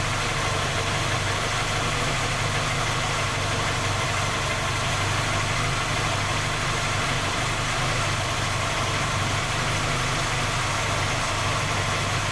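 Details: Skoda Octavia A5 facelift 1.6 MPI at cold idle: light, steady ticking knock over an even hum; engine repaired three times, fault not found, still knocks, source unknown.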